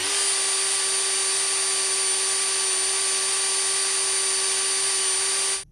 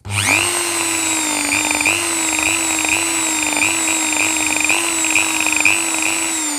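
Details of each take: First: Dremel 4000 rotary tool after brush replacement, run-in at low speed for five to ten minutes: steady high-pitched whine at constant speed, even and smooth until switch-off. Motor running normally. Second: Dremel 4000 rotary tool set to 30,000 rpm: a high motor whine that dips and surges erratically instead of running smooth like a new one, caused by worn carbon brushes that were then replaced.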